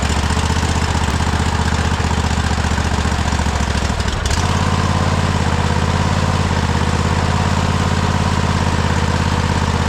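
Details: Cub Cadet Super LT 1550 tractor: small single chugging at idle, dipping briefly then picking up, running only while fed carb spray/ether, fuel starved.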